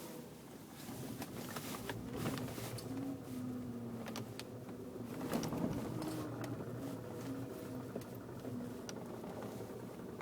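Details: BMW E90 reversing after a dealer repair, faint uneven clicks about three a second over low engine hum; clicking noise in reverse persists.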